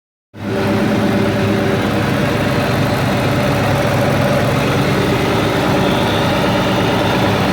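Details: 1999 Mustang Cobra 4V V8, 123k miles, 4.10 gears, exhaust and tune, started noise after one drive: rapid light tick at idle over lumpy exhaust; owner first thought typical 4V tick, now suspects possible spun bearing.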